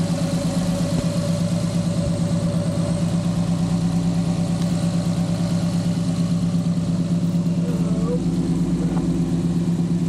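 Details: G35 (VQ) on ramps after a new throttle body and GT-R injectors, with no fault codes. A steady, strong engine drone with a loud intake roar over it, even and smooth; normal revving.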